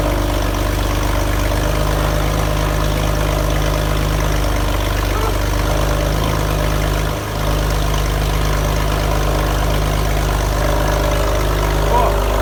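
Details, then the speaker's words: Porsche 911 (996), first start after engine reinstall in over four years: heavy, uneven, lumpy idle with a brief stumble, running badly because the throttle body connector was left unplugged. "So although the car started, it was running really badly, and after running it for a little bit, I stopped the engine and had a good look around the engine bay just to see if there's anything I could see I missed when reinstalling the engine, and then I did finally find the issue."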